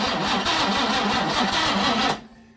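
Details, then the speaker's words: 1966 Jaguar E-Type roadster, first start attempt after restoration: steady rhythmic cranking with no catch or firing, no spark and no timing-light strobe; owner suspects an error in the rebuilt distributor or the vintage coil. "all right well we've hit a bit of a snag we are just not getting any spark and it seems that maybe I messed up something when I rebuilt the distributor"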